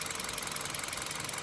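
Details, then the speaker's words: Hyundai Solaris 1.4 engine, hot idle near the hood, switched from Mobil 5W-40 to Lukoil Genesis 5W-30 ahead of winter: quick, even light ticking over a quiet engine, no deeper knock, quieter on this oil; normal injector ticking at idle. "на горячую если стоять возле капота вообще только цокольные фарси re mana этом масле реально получается тише только цокает форсунки"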